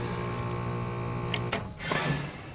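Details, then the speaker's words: Medallion series heat pump with a loud-noise complaint, forced out of defrost test: steady compressor hum, a click and stop, then a brief fading hiss; the scroll pauses before switching to avoid a growl, so this is normal. "it shuts off like that then it'll wait a second the idea is it waits so that the scroll doesn't make horrible noise cuz if it if it's running while it switches it makes a huge growl"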